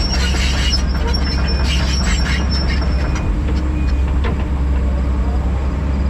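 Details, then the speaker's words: SK210 excavator working on tree removal with doors and windshield open: intermittent sharp high squeaks over a steady deep engine drone; operator complains of the squeaking, source not identified. "I don't know, I may get old listening to that squeaking."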